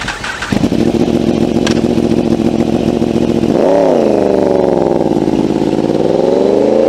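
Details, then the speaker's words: Yamaha R1 inline-four with crossplane crankshaft, uneven firing sequence with gaps: deep, lumpy burble that swells as revs rise then holds steady, sounding like a V4; healthy; normal crossplane exhaust note. "Sebab itu jugalah enjin inline 4 Yamaha R1 bunyi dia seakan-akan macam enjin V4."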